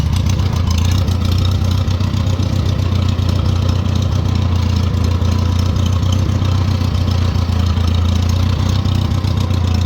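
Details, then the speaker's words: 1940 Farmall H with M&W 9-speed transmission, in third gear after firing on all four cylinders in fifth; low steady chug with occasional uneven, stumbling beats; engine starting to miss under load. "oh we're missing you can hear it starting to miss"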